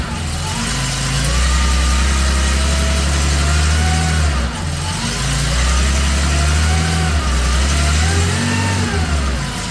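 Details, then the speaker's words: 1979 Porsche 911SC rebuilt air-cooled flat-six with CIS injection on test stand, cold start at 16°C after timing and mixture set, rings not yet bedded in; steady even idle with deep smooth thrum and gentle rises in speed, no knocks or misses. "not so happy got to turn the fuel on oh let's start again oh that sounds better yeah much happier"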